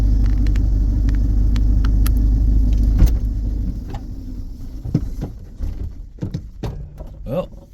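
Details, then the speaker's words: 1982 Itasca Sundancer 21 ft Class C motorhome, cold, with a manual choke: steady low engine rumble for about three seconds, then it cuts out abruptly and stalls; the owner guesses it needed gas or choke. "she died she seems to be a little cold blood"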